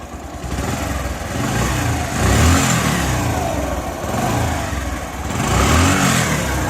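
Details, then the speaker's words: Bajaj Platina bike that made an intermittent tractor-like noise; timing checked fine, silencer mesh was coming loose, so the silencer was welded in several spots. After repair, blips from idle rise and fall cleanly with a smooth exhaust note, no rattle or clatter. "I hope आपको आवाज़ आ रही है दोस्तों। तो अब पहले से आवाज़ ओके है दोस्तों।"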